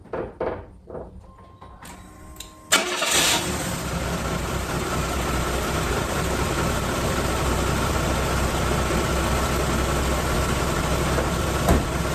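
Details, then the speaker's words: 1997 Chevy S-10 four-cylinder (No. 3 cylinder low compression), cold start after new Gates belt tensioner installed and belt aligned: cranks, catches and settles to an even idle with no clatter; startup clatter fixed. "they're so quiet I didn't hear it at all so I think that fixed it for 50 bucks I get rid of this weird annoying noise"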